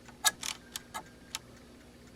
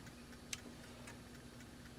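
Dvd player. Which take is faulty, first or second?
first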